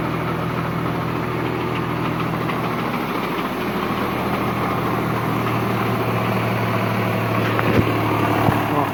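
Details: Mazda Xedos 6 at idle: loose uneven tapping about three per second over the hum; engine knock, source unclear.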